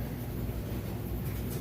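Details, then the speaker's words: Maytag oversized-capacity electric dryer tumbling the washed load just moved over from the matching washer: steady even low rumble from the drum, no knocks, squeaks or scraping; normal dryer operation. "the dryer you can see nice smooth operation sounds great there's no weird noises or anything like that anything you'd want to listen for"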